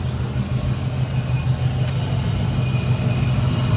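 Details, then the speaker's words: Chevrolet Impala SS V8 at idle, loud deep rumble with an uneven puffing beat from a bad exhaust leak heard on one side; mufflers to be redone and pipes checked for rust. "on this side, right about here, I do hear that there's a pretty bad exhaust leak."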